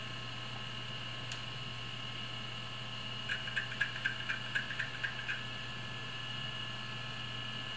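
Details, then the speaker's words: Syquest removable drive in SupraDrive, run from a temporary ATX power supply after the original supply's capacitor failed: steady high whir with brief light ticks about twice a second; normal spin-up, sounds fine before connecting to the computer. "it sounds fine it's going to leave that to run for a little bit before I'll hook it up to the Omega hook it up to the maker and see if the disk rates okay"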